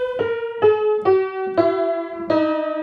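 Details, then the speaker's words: 1924 Bord 160cm grand piano before restoration, loose tuning pins: run of single notes sounding flat and sour, at least 10 beats flat, yet rich, even, full tone across the break; pins slipped out of tune. "underneath that looseness as a very rich sound and on the break point here very even sound incredibly out of tune and it's about well at least 10 beats flat"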